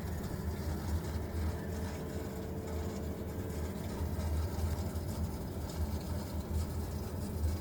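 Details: Vaillant VUW 202/2-3 R2 boiler making a strange noise: deep steady rumble with uneven low throbbing surges and a faint brief hum; cause unknown.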